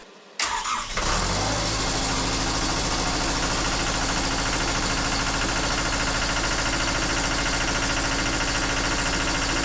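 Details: Takeuchi TL26 tracked skid steer diesel after drive motor repair, tracks off, left track pump testing: starts within a second and settles into an even, steady run with no knocks or grinding; running healthy.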